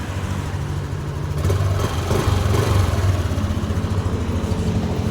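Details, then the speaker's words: Yamaha Aerox 155 Version 3, engine damaged through an aftermarket pipe, 1.3 (thousand) on the odometer, after repair and reassembly: low steady soft putter with no knocking or rattles; healthy quiet idle. "Yan na, andar na siya. Tahimik na naman."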